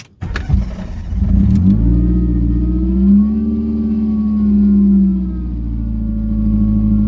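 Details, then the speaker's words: Fiat Punto with an AMR500 supercharger (85W-140 oil, throttle body just moved ahead of the supercharger) revving: steady whine with a mechanical rattle, a badly jumping idle and a very hot supercharger. Rattle source unknown; silicone hoses collapsed. "I can hear some mechanical noise It isn't working properly, idle is jumping badly and I can hear disturbing noise Something is rattling badly, not sure which part it is yet"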